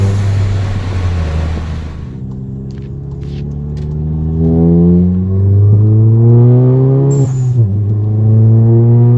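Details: MK7 VW GTI with Forge BOV, SwoopsBuilt intake, APR downpipe, Vibrant 17930 resonator and muffler delete: hard full-throttle pulls carry a loud booming exhaust drone rising with revs, caused by the muffler delete.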